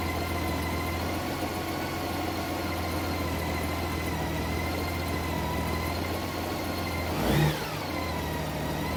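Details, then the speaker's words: 2012 Honda Goldwing during cold warm-up, coolant at 50°C, blipped toward about 1400 rpm before the PAIR air injection engages. Steady idle, one smooth blip and a clean drop back with no stumble or popping; normal. "Rev it up a little bit. See if I get it up to 1400 RPM or so. The pair system is not yet being activated just because the engine temperature is below the threshold that it would normally start engaging."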